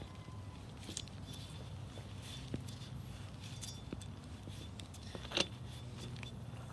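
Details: Toyota Tacoma wheel bearing spun by hand: the new replacement runs almost silently, with no grinding or rumble and only a few light handling clicks. The old bad bearing had made loud, whiny highway noise.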